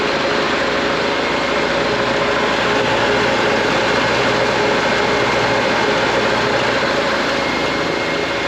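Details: Used air compressor, Harbor Freight pump, Grainger electric motor, 80-gallon tank, new pressure switch, filling from zero: even pump chugging with soft huff about twice a second over constant motor hum; normal air compressor pumping.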